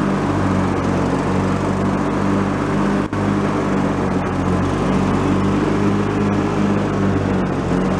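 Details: Free, previously derelict Craftsman riding mower, function check after electrical and safety-switch repairs with spindles checked not bent: steady engine drone with a smooth deck hum, no bearing whine or grinding. Deck fairly quiet, bearings not noisy, runs normally.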